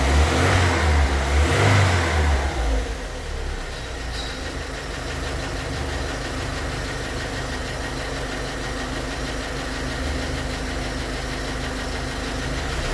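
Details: 2006 Volkswagen Crossfox: a quick rev blip, then a steady idle with a faint regular tick about two to three times a second. The owner wonders whether it is lifters or bearings; mechanics disagree, so the cause is unknown.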